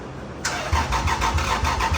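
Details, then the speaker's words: Lexus IS300 after an engine swap: the starter spins the engine with even compression beats about three a second, but it never fires; EWS immobilizer suspected of blocking fuel and spark. "it's turning over by the key, which is 6, so now we just got to figure out why the hell it's not firing yet."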